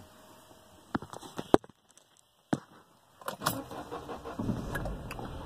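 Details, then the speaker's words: Ford Ka 2016/2018 cold start at about 4 degrees outside: key clicks, brief crank, catches into a quiet steady idle. The car previously cranked without starting; fix was holding clutch and brake pedals while cranking. "pegou mas o que aconteceu ontem um carro bate bate bate bate dessas vezes não pegou"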